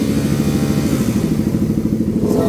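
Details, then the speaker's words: Raider 150 FI motorcycle after repair of oil-neglect engine noise: steady, even idle, quiet engine with no knocking or clatter; only the tuned race exhaust is loud. "Naka-start na pala to. Tahimik. Maingay lang yung tambot yun ng pinatono."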